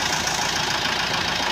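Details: 2017 Mitsubishi Strada 4D56 common-rail diesel after repair of water-damaged injectors, tank cleaning and fuel bleeding: a steady idle with light diesel clatter and no misfire. The hard-start problem is solved.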